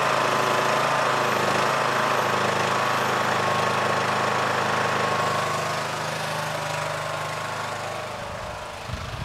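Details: Yard Machines MTD lawn tractor, 20hp Briggs single-cylinder OHV, after magneto bypass for no-spark no-start; steady, even beat at high idle, easing off smoothly near the end: normal running.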